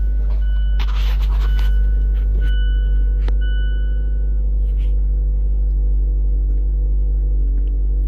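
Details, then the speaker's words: 2013 Mazda CX-5 no-start fixed by replacing blown fuse #22 (C/U IG1): starts right up and settles into steady even low hum with no misses or knocks; normal idle. "Pushing the brake. Still got the green light. And look at that. Starts right up."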